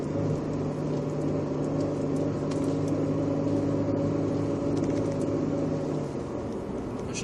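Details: 2000 Mitsubishi Eclipse driving cold: low steady rumble with a faint gurgling hum, which goes away with the clutch in and mostly fades once warm; clutch or gearbox is possible.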